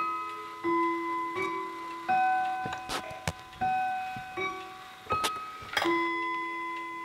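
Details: Howard Miller 61318 clock with Kieninger Westminster chime movement, after bending apart two touching chime rods: clean, separate chime notes each decaying evenly, no doubled buzz; normal Westminster chime.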